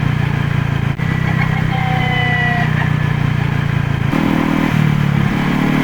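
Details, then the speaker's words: Used Honda PCX (JF56) scooter: thin midrange whine rising over the engine and sagging on deceleration when throttle closes; clutch shoe replacement helped only briefly, metal fragments in final reduction oil, broken gearbox countershaft bearing, fixed by bearing replacement. "加速中は問題ないのですが、減速するときに異音がします。"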